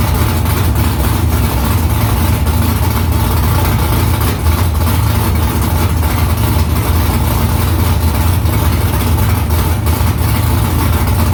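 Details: First start after new headers were installed, exhaust back under the car. Deep, loud, steady burble with a lumpy low rumble, no knocks or ticks. Smoke is from silicone drying around the header. Normal idle.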